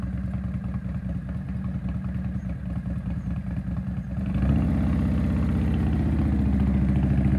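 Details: Harley motorcycle that sat for years, brought back to life: loping V-twin idle with a loose clattery rattle growing louder as revs rise, plus electrical issues with lights flashing; engine rattle, source not yet found.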